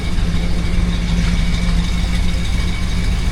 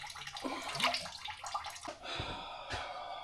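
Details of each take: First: 1978 Dodge Monaco after repairing exhaust leaks at the pipe joints with a replacement piece: even, steady low rumble at idle with no puffing or ticking; no more blowy exhaust, engine sounds healthy. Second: 1978 Dodge Monaco coolant leak after a botched thermostat job: wet gurgling and dripping as coolant bubbles out at the back of the thermostat housing; a new gasket is then made.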